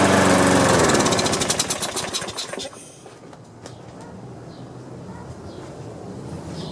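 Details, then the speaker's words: Free Troy-Bilt mower from Craigslist, clogged air cleaner and debris in carburetor, no gas in tank: carburetor cleaner sprayed into carb gives sharp rapid firing on the pull that fades within seconds and coasts to a stop; runs briefly then dies, no fuel. "let's see if it'll crank or even try i don't have any gas in there so um"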